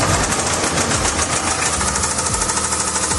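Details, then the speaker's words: 2016 Land Rover LR4 supercharged V6 that died while driving and restarted with a loud ticking/tapping the seller called lifters; rapid metallic rod knock, teardown found a spun connecting rod bearing, another destroyed bearing, damaged crank journals. "And then they started it back up, and that's when that really loud ticking sound or tapping sound, that sounds, it do"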